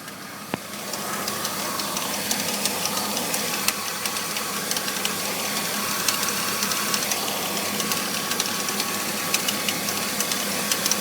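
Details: BMW E46 325i idling after new pulleys, serpentine belt, radiator and power steering pump: loose uneven rattle and clicking over steady whir; engine bay rattle, cause unknown.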